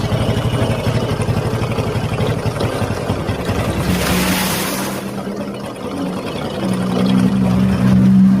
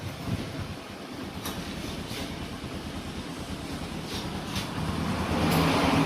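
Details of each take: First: Honda Supra X 125 motorcycle idling with a rough, rhythmic metallic crunching, about four a second, inside the clutch housing, louder and harsher when ridden; mechanic suspects a worn bearing in the clutch area. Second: Honda Supra X 125 after repair of a metal-grinding noise inside the clutch case: even, smooth engine note climbing steadily as it revs, with no metallic scraping; runs normally again.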